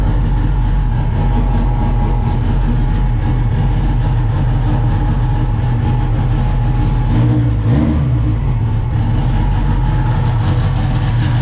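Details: SRT-4 turbo four after a 420A head conversion, first start (hard to start without throttle) and running good: smooth and even, with one quick throttle blip returning cleanly to a steady beat, no knocks or misses.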